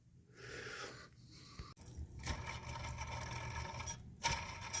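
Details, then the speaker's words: Nissan during fan clutch and belt replacement, idler pulley spun by hand with belt off: gritty rough rattle dying away as it slows; worn idler pulley bearing, to be replaced. "See the noise it's making. I have to change this too."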